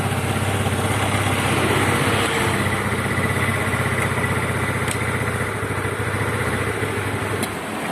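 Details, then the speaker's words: Yamaha Mio Sporty carburetted scooter idling unevenly with faint pops, intermittent coughing near the vacuum area like fuel starvation, dies and won't hold idle; traced to the carburetor needle area. "saya mengalami Mio Sporty batuk-batuk atau cegukan atau nembak-nembak kecil di daerah sini di daerah vakum"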